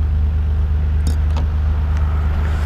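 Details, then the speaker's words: 1991 Nissan R32 GT-R, RB26DETT, test drive after a low oil pressure fix: smooth, low, steady cruising drone with no ticking or knocking; holding about two bar of oil pressure, where before it dropped; oil pump judged good. "we're cruising and we are so weird I'm like an airplane we're cruising an era making oil pressure now that's good very happy"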